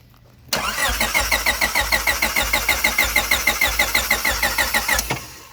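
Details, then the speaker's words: Honda Civic with OBD2-to-OBD1 adapter and GSR P95 ECU, new fuel relay and pump, relocated trunk battery: starter cranks evenly about three beats a second, never fires; no spark and no fuel pump prime heard, cause unconfirmed. "it just won't start it's not getting no prime from the fuel pump"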